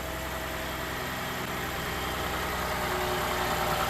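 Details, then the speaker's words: 2012 GMC Acadia SLT 3.6 LLT freshly rebuilt engine just after first start following long cranking: steady, even, quiet idle with smooth hum, no knocks, ticks or shake; normal idle, one engine light on, possibly from over-cranking. "There we go. Took a bit, but we got it. Sounds quiet."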